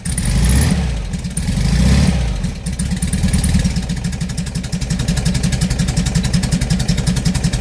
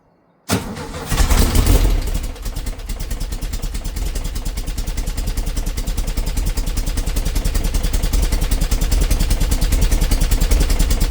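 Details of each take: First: 57-year-old air-cooled VW bus, flat-four idling after the exhaust tailpipe snapped off: quick, loud, raw exhaust pulses at about 220 per minute; the harsher note comes from the missing tailpipe, later fixed with a stainless Vintage Speed exhaust. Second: 57-year-old VW Bus, cold start after a Vintage Speed exhaust fit and a coil replaced for a hot misfire: starts quickly and settles to an even chuffing idle, about three beats a second, no stumble; exhaust seems quieter than standard.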